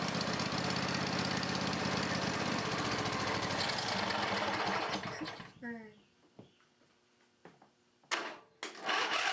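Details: Briggs and Stratton 20HP V-twin Model 40, sat 3–4 years: chugs unevenly for about five seconds, then stumbles and quits; running a little on its own, rough running, carburetor needs cleaning.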